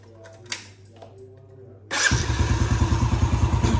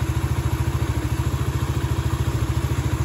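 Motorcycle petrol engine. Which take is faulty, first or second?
second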